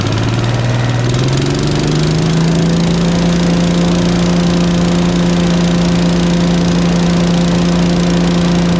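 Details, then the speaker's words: Agri-Fab Mow & Vac leaf vacuum Briggs & Stratton engine, sat about a year; after valve adjustment raised compression to ~25 psi (strong compression release): catches, climbs to steady even drone, no misses or knocks; runs really nice, normal running. "well that runs really nice I'm kind of shocked"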